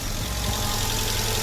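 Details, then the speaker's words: Black Chrysler 200 with a no-crank no-start and a fairly new battery, now started and idling smoothly with an even low rumble and hiss; bad battery cable connections suspected. "Let's see if we start. There we go. We're now started and running."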